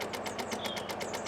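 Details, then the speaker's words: Rover 216 convertible off the road since 2013, battery at 8 volts, car completely dead even with jump pack; rapid even clicking about eight a second like a teletype when the key is turned, no cranking, relay chatter from flat battery. "i've not heard before like an old-fashioned teletype machine"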